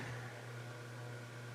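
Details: CEC Newport ceiling fan, rescued from an abandoned building after supposedly running on high reverse for over ten years: low steady electrical motor hum at constant speed, no rubbing or clicking, running in reverse.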